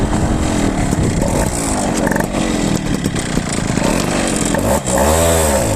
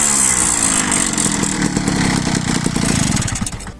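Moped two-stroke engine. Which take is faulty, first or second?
first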